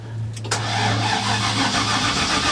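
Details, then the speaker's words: LS engine swap on eBay/Chinese standalone harness: starter churns steadily but never catches; crank-no-start because ECU feed sits at 10 V, leaving no voltage to coil packs, so no spark. "yep so that's our no start right there basically when we crank it we have no spark because we have no voltage going to our coil packs"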